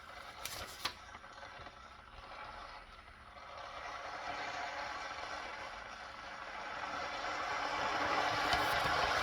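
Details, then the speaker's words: Ninja electric kettle on first use: a soft rushing hiss slowly swells and grows louder as the water temperature rises; normal heating noise. "So as you can see, the noise slowly builds up as the temperature rises, and if you can see that there, that's slowly increasing."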